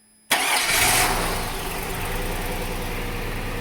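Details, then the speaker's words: 2002 Cadillac Escalade running on a 2005 Yukon PCM with new harness and O2 sensors unplugged: catches with a sharp burst, then an uneven, lumpy, wavering idle, running rough and rich, owner believes from missing O2 sensors. "it's running but it's running rough Rich because of no O2 sensors I believe anyway it works so I'll count that as a success"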